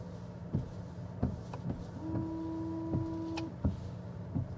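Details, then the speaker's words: Ford Capri Extended Range AWD electric SUV, interior: wiper thumps about every 0.7 s with a steady washer pump hum for about 1.5 s. Washer and wipers are operating normally. "Yes. It's working perfectly fine."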